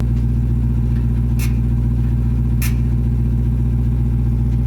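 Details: Dodge Demon 170 engine at deep, lumpy idle with steady pulse near four per second and two sharp clicks; ticking began days after an engineer called the sound normal, followed by check engine light; second engineer found the entire exhaust system needs replacing.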